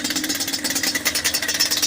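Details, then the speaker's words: Yamaha Banshee 350 two-stroke, first start after full top and bottom end rebuild and new clutch, cold, running rich with a cracked pipe: crisp crackle settling to a steady idle, firing on both cylinders. "Dude, it sounds so much better though. And look at the idle. Look at the idle now, finally. It's not all over the place."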